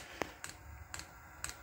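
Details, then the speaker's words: Diesel heater priming through temporary, still-empty fuel lines: crisp evenly spaced dosing pump clicks about two a second over a quiet fan picking up; pump pushing diesel normally. "Well, you can hear that now, the pump is clicking through, which is pushing diesel."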